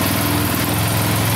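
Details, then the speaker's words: Arctic Cat DVX 400 sport quad, first start on choke after valve adjustment and re-shim: small single settles straight into a quick, even, steady run with no ticking or misfire; healthy idle. "No problem. Let's see if I can turn the choke off. Sounds really good. Holy cow. Oh, is it gonna idle? There we go. Sounds really good."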